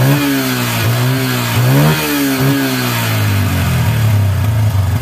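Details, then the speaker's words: Yamaha Bison with misfiring, popping and black exhaust smoke, after plugging a failed, stuck-open carburetor membrane with flip-flop rubber: revs rise and fall with irregular pops and cracks through the exhaust as the throttle opens; still backfiring. "kalau digas sudah enggak telat cuma nembak nembaknya masih ya teman-teman"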